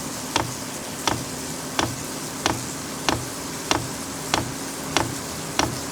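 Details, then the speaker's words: New VEVOR compact diesel heater in initial startup phase drawing 113 watts: even ticking about every 0.7 seconds over a low fan hum, fuel pump pulsing; fully running after about 3 minutes. Normal diesel heater startup. "So and I hear something happening. So it's definitely in the initial startup phase."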